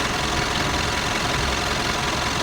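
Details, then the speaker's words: Mitsubishi Pajero diesel, no thermostat, overheating at high speed, valve cover gasket recently replaced and failed again: dense, flat idle with a dull rumble and no crisp beat; valves to be adjusted, valve clearance suspected. "Lalu nanti kita setel klepnya karena suaranya seperti ini ya seperti suara mesinnya bantut gu tidak ada sirias sama sekali di mobil 4 ini"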